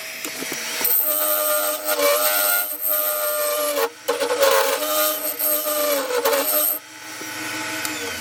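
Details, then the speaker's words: Turning a yew log goblet on a wood lathe while smoothing the inside with a negative rake scraper: ringing, buzzing chatter with several steady pitches coming and going through the cut. Horrendous vibration. "still getting horrendous vibration here as you can hear from the [Music] [Music] sound [Music]"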